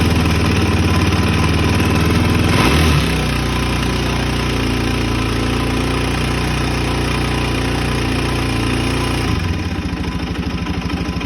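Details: Suzuki DRZ400E single-cylinder with a 430cc big bore kit and Vertex piston, bought as-is, runs with a hard regular knock about three a second over its beat. Cause unknown.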